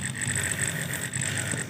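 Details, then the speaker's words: Refrigerator that isn't cooling: its defrost timer motor whirs with uneven, stuttering ticks instead of a smooth run once the ammeter reads zero at defrost end; the faulty timer is to be replaced with one of equal rating. "kalau kita dengarkan baik-baik timernya ini jalannya pincang ya coba dengarkan ini menunjukkan bahwa timernya ini sudah bermasalah"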